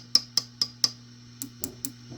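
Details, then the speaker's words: Vox AC15 tube amp after swapping 12AX7 preamp tubes for new ECC83s, warm: four taps on a preamp tube ring with a bright high tone over low hum, later taps duller; unclear whether tube is microphonic. "let's just give her a little give a Mee a tap test here that one still sounds a little high"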